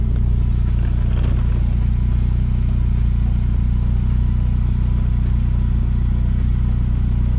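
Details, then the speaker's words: 2002 Saab 9-3 Convertible idling after a makeshift exhaust leak repair at the center muffler, heard underneath: a steady, even low idle with no puffing or ticking at the joints; sounds sealed for now, though the owner doubts the repair will hold. "but we don't have any exhaust coming from there it sounds like it all sounds pretty solid and quiet down here at the moment"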